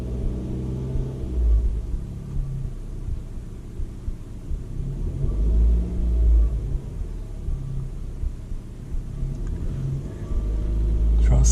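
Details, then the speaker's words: Mazda 2 right after a CorkSport short ram intake install. Deep low rumble as revs drop from fast idle to normal idle, no hissing or intake leaks: healthy idle. "okay so that sounds good there's no weird hissing nothing sounds like there's alley closing and she's come down from the fast-idle"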